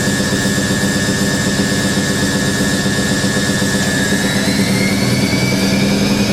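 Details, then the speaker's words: Hoover A3060 Electronic 1100 washing machine, almost 47 years old, at 1100 rpm spin with bedding and towels. Steady even roar with a clean motor tone, no knock or rumble. Described as nice and smooth. Normal spin cycle. "nice and smooth it's 1100 RPM"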